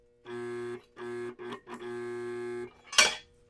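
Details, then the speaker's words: Abandoned lawn mower with no oil, engine feels locked up by hand and wiring is burnt: starter gives a steady low electrical hum in short bursts but can't turn the engine; owner suspects the motor is seized. "so if I ground it to the block is that what I was doing no it's the solenoid the starter can't turn the engine oh boy I think that motor might be stuck"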